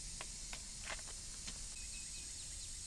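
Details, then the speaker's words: Jeep tire with GlueTread sidewall patch while reinflating: steady high hiss with faint ticks, air escaping at the patch edge; possibly not enough adhesive on that edge, to be fixed by adding adhesive there. "so you might be able to hear that we're actually losing some air right here so if this is a this is a case where maybe i didn't put enough adhesive on that edge"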